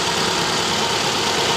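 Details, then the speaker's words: 2010 Subaru Impreza flat-four, 150k miles, engine recently rebuilt with new head gaskets, misfire code for cylinder one: pulling cylinder three's plug wire makes the idle uneven and heavier with a lumpy, dropping beat and shaking, confirming that cylinder fires. "you hear the difference and then you can see the camera shaking now it's plugged back in plug down plug back in"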